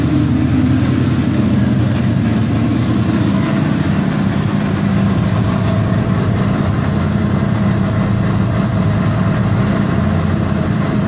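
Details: LQ4 V8 with LSR cam, warm: steady, deep, lumpy idle with no misses, sitting a bit faster than it should; slightly high idle.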